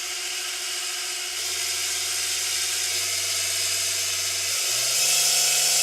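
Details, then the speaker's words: No-name eBay mini belt sander for knife sharpening, powered by an adjustable 12–24 V power brick and started at the lowest 12 V setting. High, steady whir whose pitch steps up a few times; smooth, normal running. "So turning it on, you can hear the speed on the lowest 12 volt setting."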